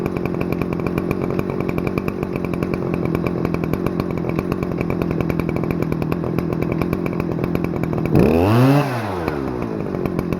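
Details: Stihl FS-250R 40cc two-stroke trimmer after carburetor rebuild, high idle screw set at full throttle, 50:1 ethanol-free mix; steady high-pitched scream at full throttle, even firing, no surging or bogging: normal high-rev running.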